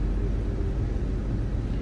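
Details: 2005 Mazda 6 at idle, AC on, engine not fully warm: steady low roar of cooling fans running hard, checked with scope and OBDWiz fan duty cycle; failing cooling fan control module, fans come on at random.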